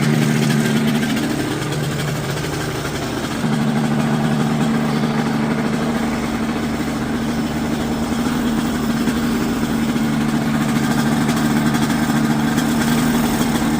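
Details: Quicksilver ultralight two-stroke, warming up before a static ground run: smooth, steady idle with a constant low drone, no stumbling or surging.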